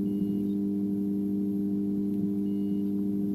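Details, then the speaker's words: Peavey Bandit 112 TransTube guitar amp at switch-on with no input: steady low drone with ringing overtones; power supply fault noise. "so you can hear it's doing this. Oh yeah! So something a bit wrong with that."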